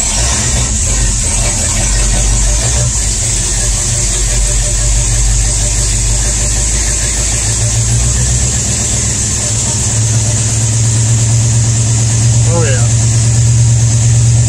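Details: V8 after the broken pushrod was removed and replaced, choke pulled on a cool night, exhaust full of holes: steady, even idle with a firm rumble and leaky exhaust rasp, no dropouts. All eight cylinders are firing.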